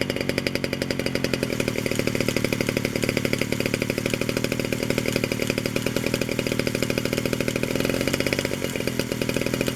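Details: 1947 Danarm Junior Mk1 chainsaw, first extended run after full restoration (new bearings, coil, condenser, timing set), fed a drop of fuel with no tank fitted, buzzes fast and crisp without missing; it runs and the clutch operates.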